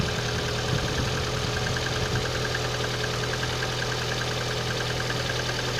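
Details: Engine knock at idle: dull, uneven knock roughly one or two a second under the engine hum; source unknown.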